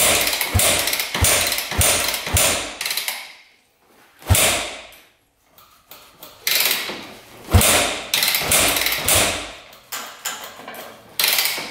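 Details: 2001 Yamaha WR250F street-legal dirt bike, engine just rebuilt, unridden about 8 years, choke on: repeated kick strokes, each a sharp clatter fading with gaps between, never catches. Cranks but won't start; spark unchecked.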